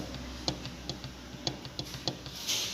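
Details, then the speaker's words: 2014 150cc motorcycle, magneto cover removed: sharp, uneven ticks about every half second over a low engine hum. Two of three parts broke, leaving crankshaft end play, so the crank shifts in and out. The knock worsens as the engine warms and at high rpm. "e criou essa folguinha aqui ó e tudo que você fosse uma moto e quanto mais o motor esquenta mais barulho ele faz na alta rotação é que faz mais barulho ainda"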